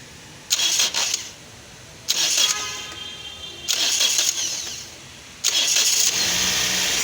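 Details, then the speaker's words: 2023 Toyota Corolla: four short, high-pitched whirring bursts as the starter motor spins free without engaging, so the engine does not crank; the starter has an internal fault and is removed for inspection. "ये देखें जी, ये इसके अंदर आवाज़ आ रही है जैसे इसका जो इंजन है वो क्रैंक जो घूम नहीं रहा, लेकिन जो इसका जो स्टार्टर है वो इसके अंदर जो है कोई ना कोई अब नॉर्मेलिटी है, जिसकी वजह से इसका जो इंजन है वो क्रैंक नहीं कर रहा है, घूम नहीं रहा।"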